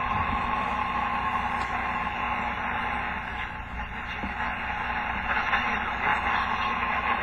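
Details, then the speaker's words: 1936 Fairbanks Morse Model 57 tube radio on replacement transformer, antenna just connected, dial lights not working: steady hiss with faint station audio, no loud hum, crackle or dropouts; receiving properly. "Oh, that sound like a radio."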